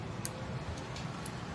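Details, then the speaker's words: Voltage stabilizer under repair, after a relay is fitted and tested while the VR adjustments are checked: four crisp, separate clicks over a quiet hum as the relay pulls in and switches cleanly. Normal relay switching. "ये आवाज़ भी दे रही है और काम भी कर रही है।"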